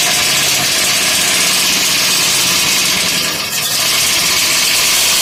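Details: Dodge 5.9 engine, freed from seizure with a pipe wrench, then started: loud harsh idle with an uneven rapid clacking knock tied to engine rotation; rod knock.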